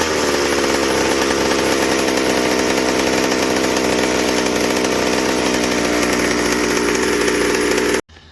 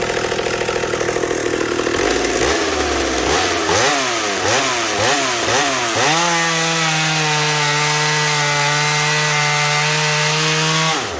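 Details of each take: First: McCulloch 790 chainsaw frame with MC101 kart engine, new header and pipe, 3D-printed carb adaptor: wide-open high buzzing scream without four-stroking burble; carb can't dump enough fuel at high speed, running lean. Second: Racing chainsaw built from a McCulloch 790 frame with an MC101 kart engine, new header and pipe, 3D-printed intake gasket and carb adaptor, 7-pin semi-chisel chain, cutting oak: revs in blips, then a steady, high scream without bogging. Healthy under load.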